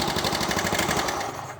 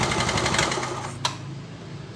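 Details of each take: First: Yamaha Mio Soul scooter that was hard to start with carburetor backfiring, tested on its original CDI after ignition timing was suspected: fast, even firing pulses with no pops or backfires, then fading; runs cleanly. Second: Yamaha Mio Soul scooter, hard to start despite a new carburettor and engine work: fast cranking with sharp backfire pops through the carb. Combustion fails and it won't start; the ignition is suspected.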